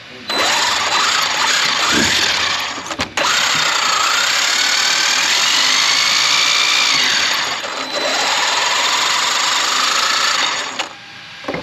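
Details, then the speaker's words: Traxxas X-Maxx RC truck, optional powdered-metal spur gear, mesh checked and correct, no cracked or chipped teeth: high gear whine rising and falling with each throttle burst, no skipping; normal powdered gear noise, fix would be replacing the spur gear. "it's just the sound of the powdered gears the mesh is perfect you can hear the click it's letting you know it's not tight it's not smashed against it it's just the optional powdered gear"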